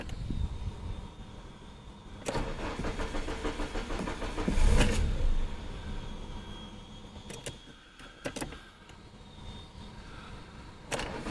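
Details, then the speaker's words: IKCO Samand with a floating idle that starts only with the gas pedal. Two long cranking bursts catch only briefly and the engine won't settle at idle. The cause is a faulty idle air control valve, which is replaced. "потому что сравнительно недавно начали плавать обороты холостого потом стала туда заводиться"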